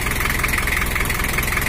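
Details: Toyota HiAce LH11 (1984) diesel after repair for overheating with coolant boiling over and rough engine sound: injection pump returned to standard setting, steady even diesel clatter at idle, no knocks or misses; normal idle.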